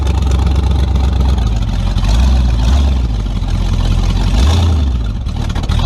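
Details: Tunnel-ram 350 V8 with two Edelbrock 600 cfm carburetors (1405/1406), final test after fixing the stumble: deep, even rumble pulls steadily under load with no stumble or hesitation. Accelerates cleanly, much better.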